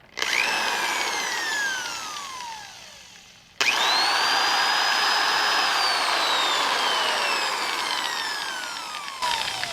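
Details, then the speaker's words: Double-insulated corded drill, polarized plug, bought cheap at a yard sale and repaired, fine since, forward mode: clean smooth whine, then very slow wind-down before restarting, no roughness; variable speed fine; normal running. "And that's the cool thing about this one. It's so smooth. You see how long it takes to stop?"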